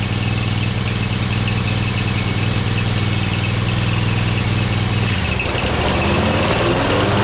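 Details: Cub Cadet GTX 2100 mower, which was making loud noise, tested after replacing PTO clutch bearing: steady small-engine idle, blades engage about five seconds in with smooth whirr, no grinding or rattle; normal PTO clutch running.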